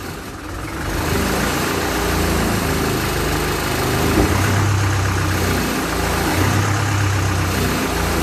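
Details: Land Rover Series 3 2¼ diesel, first start after engine rebuild, hard to start: lumpy, uneven diesel clatter with surging revs; owner thinks injection pump timing is a little advanced and plans to adjust it; rough running, cause unconfirmed.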